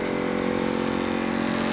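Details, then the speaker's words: Lennox XC25-048-230 condenser two years old after fan motor failure, replaced with a Gentaq 5SME39HL HE488 motor and 3-blade fan instead of the original Lennox 10D10 5-blade Quiet Comfort fan; loud steady droning hum with pulsing buzz, far noisier than before. "all right guys can you hear it can hear the Banshee it didn't sound like this before"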